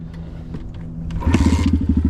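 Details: Apollo RFZ 125 X18 pit bike with a newly fitted Nibbi PE22 22 mm carburetor replacing the stock one, on a cold day of about 42°. The first kick catches at once into a crisp, even four-stroke pop at fast idle, a healthy start.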